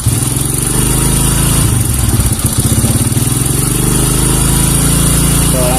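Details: Kawasaki KLX 150 vacuum carburetor with the spring refitted: steady, even idle that picks up cleanly within about two seconds when the throttle opens. Throttle response is normal.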